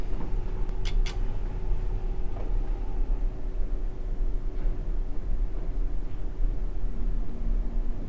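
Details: Old modernized Westinghouse submersible hydraulic elevator: deep, uneven rumbling growl under a steady hum while running; pump motor sounds rough and worn, though it rides better than it sounds; cause unconfirmed.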